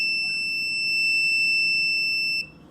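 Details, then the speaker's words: GE microwave about two years old that trips the breaker when started: multimeter across the door switch gives a steady high beep for about 2.5 seconds, showing continuity when it should be open; door switch stuck closed, needs replacing. "Okay, this is the parts of the microwave because there's a problem when you try to turn it on the microwave, and then the brake trips. So I find out that this is the sensing sensor on that mic door of the microwave."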